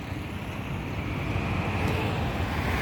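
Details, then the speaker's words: Audi Q3 after full engine work for knocking and black smoke: steady smooth roar held at full rpm, creeping slightly up, no knocks or misses; no smoke now, previously heavy black smoke. "ये full RPM प हमने दे रखी है कोई दिक्कत नहीं है बिल्कुल परफेक्ट है कोई स्मोक नहीं आ रहा इस के अंदर से"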